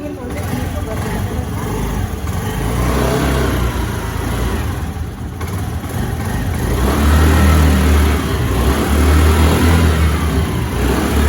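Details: Scooty scooter after a kick start: uneven petrol buzz that swells and drops as the throttle is blipped, with no knocks or rattles; normal revving.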